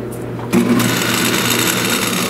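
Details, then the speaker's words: 1930s Delta DP220 drill press motor after a full teardown and rebuild: it spins up and settles into a steady, even hum with no knocking or rattle, sounding much better than before. "it sounds a lot better I think that sounds a lot better what do you guys think"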